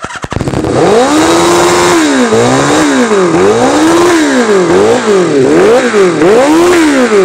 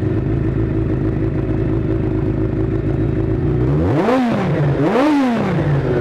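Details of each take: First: 1983 Kawasaki GPZ550 garage find after carburetor work, revving to about 6,000 rpm at idle and hunting up and down with no throttle; pod filters and previous owner's jetting suspected — high idle surging. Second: 1983 Kawasaki GPZ550 four-cylinder after carburetor work, tuning and airbox restored (pod filters removed), Kerker exhaust: steady even idle with two quick clean blips; normal idle, runs smoothly and revs freely.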